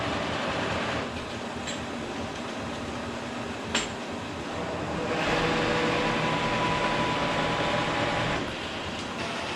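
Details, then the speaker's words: K&T milling machine, first run after oil-system flush and refill with oil: table feed gearbox run through its gears at about 4.25–4.5 in/min. Steady, even gear whir with light regular clatter, no grinding or knocking. Normal, healthy table feed gearbox. "I'm just going through the gears that change the table speed movement or the carriage or knee in relation to, I guess, the spindle RPM."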